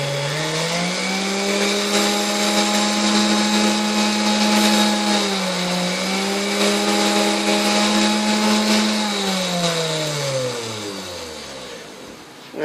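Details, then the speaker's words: 1960s Hamilton Beach Model K stand mixer before service, debris clogging inside: smooth, steady motor hum that dips slightly and recovers but barely changes pitch across speed settings up to high, then winds down; runs smooth, but the speed control has little effect, cause unconfirmed. "the good news is it runs and plums nice and smooth I know if there's not very much change in speed up to you know the higher"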